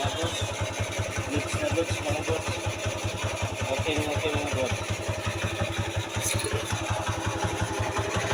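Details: TMX 155 single-cylinder that needed about 20 kicks to start, after fitting a Bajaj CT100 carburetor (manifold and wiring replaced earlier), now starts with one kick; steady, even fast-idle thump with no stumbling, normal running.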